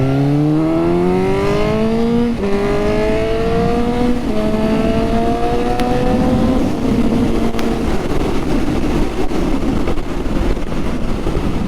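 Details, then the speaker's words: Suzuki GSX-S750 first ride with Power Commander 5, preloaded Dynojet map, Yoshimura can and aftermarket air filter; revs climb through gears, then sharp pops and crackles on lift-off: exhaust pops on overrun. "Ooh, there's a few pops and crackles there."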